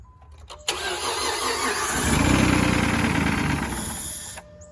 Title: Cranks but no start - starter fluid reveals root cause may be fuel pump/delivery